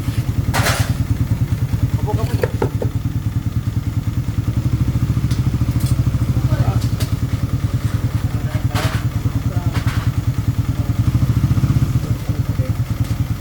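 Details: Loud clutch-side noise that started yesterday after a clutch lining and spring replacement. Steady idle thump with a light metallic clatter every few beats; the balancer gear is broken and rattling.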